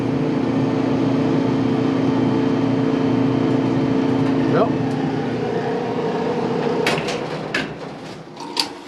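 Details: 20-year-old Whirlpool dryer LEN2000PW0 that only clicked with the drum not turning, now after cleaning the motor switch terminals and tightening the blue terminal. Steady motor hum with a smooth, constant drum turning and no grinding or squeal; running normally.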